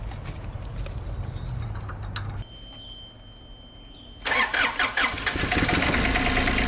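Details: Isuzu 3LB1 diesel in an IHI 28J mini excavator after a diesel-in-crankcase repair, one injector line left loose to bleed air. Uneven, loping idle short one beat; dead cylinder that picks up once the line is tightened.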